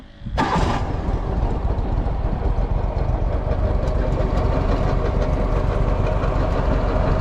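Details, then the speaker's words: 2009 Walker Model T mower, Eaton Model 7 hydro transmission: at low idle a rough rotational drone from a failed hydro input shaft bearing, gone once the throttle is raised; repaired by replacing input shaft and bearing. "as soon as i wrap the throttle up it goes away but at low idle you hear that rotational noise that guys is a bearing that has let go in my hydro"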